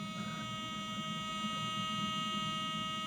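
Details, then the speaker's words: Bedini-style inductive kickback coil charging a battery via large capacitor, resistor tuned for maximum saturation: steady high-pitched buzz with faint regular pulsing about three times a second, magnet hums even away from coil; normal coil hum. "gives me an indication and how strong the field is, because it hums even away from the coil."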